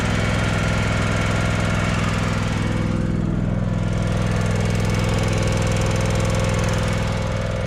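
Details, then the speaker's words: John Deere X320 riding mower bought running; steady small-engine idle with even ticking about three or four per second, a tap on one side; owner suspects a bent pushrod rubbing the valve tunnel, possibly from a backfire; valve train tick, unconfirmed. "sounds like a tap on this side kind of like a bent push rod"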